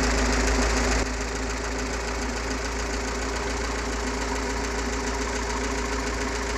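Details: GAZ-69 with UMZ-421-variant gasoline engine after overhaul, Kostroma piston group, contactless ignition, original carburetor, fuel pump and old-style intake manifold: steady even idle, constant low drone, no knocks or misses; healthy.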